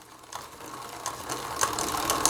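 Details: Bicycle rear derailleur sitting too far left, so in third gear the chain runs on the second sprocket instead of the third. Rapid ratcheting chatter as the pedals turn; fixed by tensioning the cable with the barrel adjuster screw. Derailleur out of adjustment.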